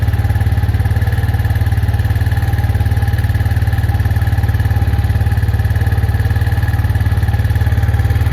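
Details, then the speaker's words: Arctic Cat 400 4x4 ATV, sat a month with a dead battery; after a new battery and a bad starter solenoid found, it idles with an even, steady low thump, no knocks or stumbles, running healthy. "so the battery was dead took a new battery that's it it's running"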